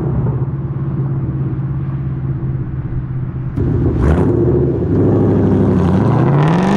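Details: Ford Mustang with Coyote V8 after new exhaust and Y-pipe install fixing a months-long rattle (traced to a fender bolt), recorded from outside: deep even rumble rising cleanly with revs, no rattles or buzz; healthy, solid exhaust.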